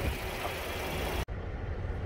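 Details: 2013 Chevy Equinox that stalled and ran rough after fill-ups due to engine flooding (purge solenoid implicated). After the repair, it idles steady, even and low, with no misses, knocks or hunting. Normal idle.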